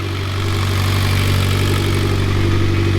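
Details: Freshly rebuilt Mitsubishi Evo X engine after its first start: a steady, deep, smooth idle with no knocks, ticks or misses. A check-engine light came from an unplugged cam sensor; the engine sounds healthy.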